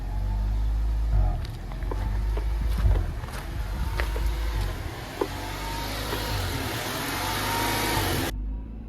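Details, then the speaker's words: 1992 Honda Prelude fourth-gen petrol engine with idle surge: idle rises and falls in slow waves endlessly instead of settling, blamed on the idle air control valve, which is then removed and cleaned. "you see it picks up on the rivs and then Cuts them and picks back up and cuts them and it will just go like this just forever"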